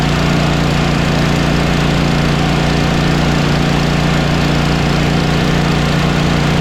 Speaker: you can hear that whooshing noise that's very uh distinguishable from anything else which tells you that the head gasket is blown